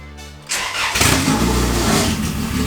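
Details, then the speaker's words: Honda Accord (CD7) after engine swap, first startup; starter cranks briefly, engine catches into loud, steady idle with strong intake suck, sounds like a V8; healthy. "That thing is sucking in air crazy. This thing gonna move, man. It sounds like what those what the openings are. It sounds all like V8."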